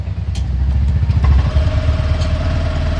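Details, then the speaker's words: Honda Activa 6G BS6 scooter, diagnosed elsewhere as a failed ECM; after removing the green wire from the ECM and grounding it, it starts cleanly and settles into a steady, even low putter with no misses: normal idle. "ನೋಡಿ ಈಗ ನಾನು ground ಕೊಟ್ಟಿದೀನಿ ನೋಡಿ ground ಕುಟ್ಟಮೇಲೆ ಗಾಡಿ ಕ್ಲೀನ್ಆಗಿ start ಆಗ್ತಾ ಇದೆ"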